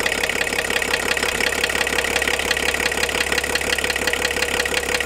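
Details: VW LT diesel van at idle: hard sharp metallic knocking about three per second, steady without letup; owner fears engine damage, cause not yet known.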